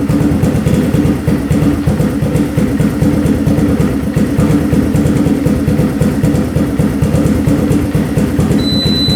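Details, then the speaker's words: 4x4 ATV that sat for years, after float height and fuel screw adjustment: idle surges up and down with popping and shuts off at idle; cause unknown, owner plans to check valve clearances and intake boot for air leaks. "All right, it's still doing the popping and the shutting off when it's at idle."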